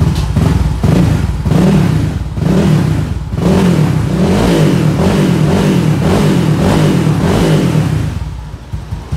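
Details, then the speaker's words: Scooter with a 4-valve 192 cc engine and a silent-style hollowed muffler, revved with the CVT removed. Loud deep revs rising and falling through several blips, firing evenly without misses: the engine still sounds aggressive and smooth, normal revving. "Suaranya masih galak ternyata. Dan alhamdulillah masih halus mesinnya."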